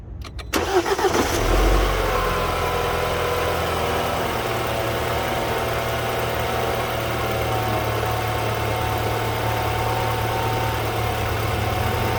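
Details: BMW N20/N26 engine started right after a throttle body replacement, done to cure a noise the owner suspected came from the old throttle body: starter catches cleanly and it settles at once into a steady, even idle, no stumble or odd noise; healthy.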